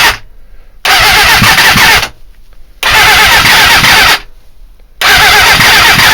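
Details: GSXR 400 with CDI box and homemade diode unit, strobe shows firing about five to six degrees before TDC: three one-second bursts of starter cranking, never catches; owner suspects ignition timing/trigger, not confirmed.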